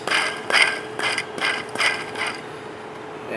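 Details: Removed belt tensioner pulley spun by hand gives dry, gritty rasping in quick pulses: rough, worn bearing thought to be causing the engine's squeaky noise; tensioner replaced, new one spins smooth.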